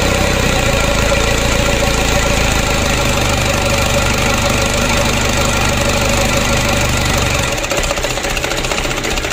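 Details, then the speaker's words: Mitsubishi Canter diesel engine re-overhauled after only 5 months (oil burning, blow-by, cracked piston), first start after reassembly, cold: even diesel idle clatter of about three beats per second, steady with no misses or heavy knocks; normal diesel idle. "kita coba dulu starter kita hidupkan pilih stress test lagi nunggu oleh mesinnya alhamdulillah lancar berminyak ya untuk awal hidupnya seperti ini"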